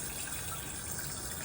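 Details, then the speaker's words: Newly installed toilet fill valve not shutting off: water rushes steadily into the tank without slowing and spills into the overflow because the float is set too high and the water hasn't reached it; float height needs adjusting. "you see how it didn't stop yet, and the water is overflowing and it's going in there, just filling up pushing that valve up."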